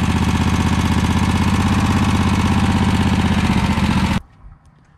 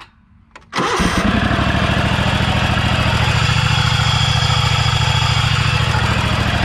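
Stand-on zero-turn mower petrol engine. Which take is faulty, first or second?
second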